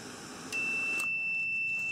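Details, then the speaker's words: Cooling fan radiator switch, brand new replacement (old one no longer working), heated and tested with multimeter: sharp click as switch closes then steady continuity beep; clicks like a relay, good switch. "there's your continuity and you can actually hear the switch when it turns on and off"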